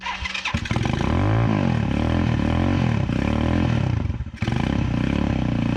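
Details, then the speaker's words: 2010 Dongfeng DF250RTB 250cc single-cylinder air-cooled motorcycle, sat 10 years, revived: catches after a few cranks, then settles to a throbbing idle that swells and dips while warming up; starting and running fine. "there we go now it's warming up"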